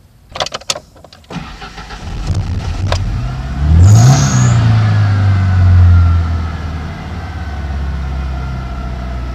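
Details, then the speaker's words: 1991 Ford Ranger 2.3 that has bogged and misfired since its cam belt was replaced, started just after the MAF sensor was cleaned: uneven, lumpy idle that is slightly better; the owner suspects the idle air control valve, valve timing or the ignition control module. "starts might have to do the ID control valve again because it's kind idling kind of hard"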